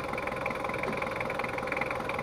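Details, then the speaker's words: Ford Ranger 2.5 double-cab diesel after repair of post-overhaul compression and oil leaks: steady even idle clatter with no misses or knocks; leaks gone, engine sound back to normal, road test fine. "ya Lur untuk for rangernya udah engak ada rembesan dan suaranya Udah kembali normal"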